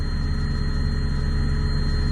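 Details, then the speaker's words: Diesel truck plugged in, just cold-started at minus 37 and idling: a thin, steady high whine over the deep idle rumble, "everything's whining"; source unknown. "Everything's whining. I don't know if you can hear it whining."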